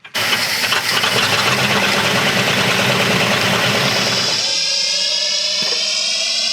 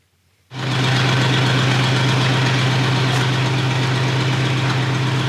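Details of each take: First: 1970 crane truck engine, sat unused about ten years: catches and runs rough with a rising whirring, sci-fi-like whine over it; something's wrong, cause not yet known. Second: 1970 crane truck V8 that sat ten years unused, running after new Carter fuel pump installed, fed through carburetor: catches at once, smooth even idle with no misses or knocking, runs smooth as silk; smoke is just spilled fuel burning off manifold; normal idle.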